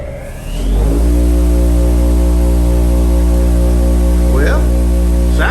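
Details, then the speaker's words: New Bauer 8-inch bench buffer just mounted, one wheel looking slightly out of balance: spins up within a second to a steady, even hum at full speed with no wobble, rubbing or rattle; running smoothly. "First, I wanna see if it's balanced. That one looks a little bit off, but sometimes using them brings them in. Here we go, full blast."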